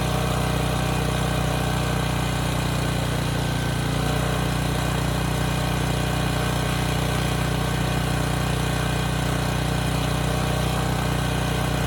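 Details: Briggs and Stratton Storm Responder generator, bought as a parts machine, runs healthy at governed speed after fuel line hookup. Steady, even drone with no surging, holding its speed under load; it was running slightly fast.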